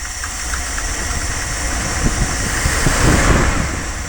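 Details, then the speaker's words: 1978 Dodge Tran with the distributor loosened and reused spark plugs fitted, at idle: uneven idle with a loose, knocking shake and occasional stumbles; timing is out and needs setting. "i had to loosen the distributor so it's it's not it needs to be uh timed in"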